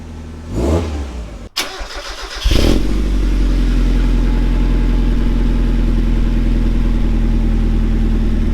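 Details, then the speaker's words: Mk1 Mazda MX-5 Miata after fitting a custom 2.5-inch stainless Profusion catback with no center resonator and smaller back box: engine catches and settles into a deep throaty drone with slight rasp, no knocks or rattles; healthy exhaust note. "Just a little bit of rasp. Other than that, it's deep and pretty good."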